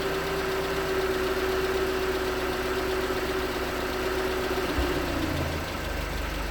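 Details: 2019 Hyundai Tucson 2.0L GDI Nu, 24,000 miles, on Mobil1 5W-20 with a NAPA filter under 1,500 miles old: light, fairly quick tapping knock over a steady hum at cold idle. Owner suspects piston slap; switching to 5W-30 only slightly improved it.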